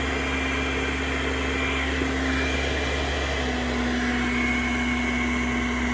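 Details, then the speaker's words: Popper coffee roaster after fan motor replacement (old motor's speed fluctuated while roasting), tested on a nine-minute setting: steady, even blower whoosh at a constant tone with no surging; the new fan motor runs normally. "it's on sounds good so that's it"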